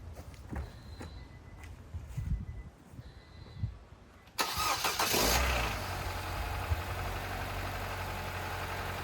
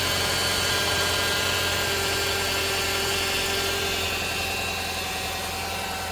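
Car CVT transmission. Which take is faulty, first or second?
second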